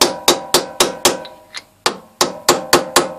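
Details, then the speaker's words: 2003 VW Beetle 09G automatic gearbox valve body solenoid being tapped home on a lathe during DIY rebuild: sharp, solid metallic taps about four a second, clean ring, no rattle or buzz; steel case seated hard against valve housing. "obviously the little steel case is hard against the valve housing and you can hear it's absolutely solid there's no there's no mistaking the sound when it's right home"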